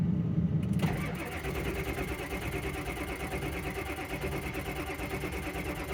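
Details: Ford F350 truck, fuel present, just picked up from a Ford dealer: starter spins the engine with an even chugging about three beats a second but it never fires; crank, no start.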